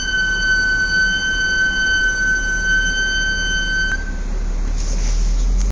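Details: Brand-new Audi S4 Avant B8 (12/2011): a piercing, steady high-pitched brake squeal over low rumble, present from new; no fix found yet, brake squeal.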